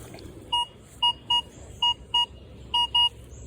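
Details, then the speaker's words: Minelab Vanquish 440 metal detector over a copper penny, reading 25–27. Clean high beeps, about seven short tones in three seconds, sometimes paired, over quiet ground hiss. Normal copper coin target tone. "copper penny is reading 25 26. a little 27 in there and you can kind of hear it giving a couple little different sounds"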